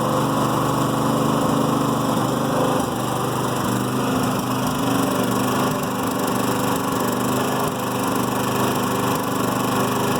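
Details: New Firman generator in Eco mode idles with an uneven, lumpy beat and the odd stumble, slight misfire or backfire, which reduces out of Eco mode and under load; owner unsure whether normal.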